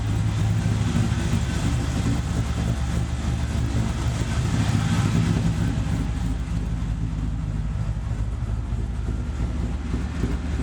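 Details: LS-swapped Chevy S10 V8 with Chinese eBay headers after fitting Remflex header gaskets, doubled copper collector gasket and retightening bolts: deep steady rumble, even pulse, no ticking or puffing at manifolds; headers now sealing, normal running.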